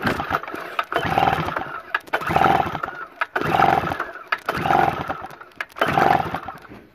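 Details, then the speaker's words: Schneider Germany 950W generator, stuck since March 2017, runs after today's carburetor cleaning but revs swell and sag about once a second while warming up; it still produces power, and the cause of the surging (hunting) is unknown. "really clean the carburetor right on him today and they still surging up and down and I've got no idea why we still producing power"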